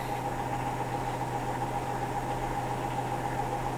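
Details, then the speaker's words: Hotpoint NSWM 1043C W UK N 10 kg washing machine (Whirlpool-made, circa 2007) during rinse and spin after shock-mount reinforcement repairs; smooth even spin, steady motor whine, no ticking or knocking; owner unsure what's going on; normal spin. "it doesn't sound like it's ticking I'm quite I don't know what's going on"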